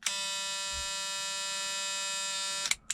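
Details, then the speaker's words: Ford Fiesta MK2 XR2 exterior lights test: steady electric buzz instead of flasher clicking when hazards switched on; faulty hazard relay. "right so the relay for the hazards is obviously not working can hear it buzzing just need to find out which one it is"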